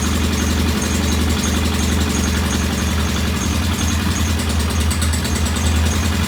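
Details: Norton P11 vintage British motorcycle twin, first start after carburetor fully disassembled and old dead gasoline replaced with fresh; loud, deep idle with an uneven, lumpy beat that never settles; one carb's pilot jet not following adjustment, suspected partly blocked.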